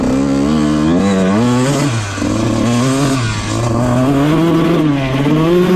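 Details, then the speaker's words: 2001 Honda CR125 two-stroke after a top-end rebuild for low compression (deformed ring) and a main jet change from 380 to 370: repeated full-throttle blips rev out cleanly with no top-end breakup; normal. "So, when you gun it full throttle, you can watch in the GoPro footage, it actually revs out all the way and stays consistent throughout."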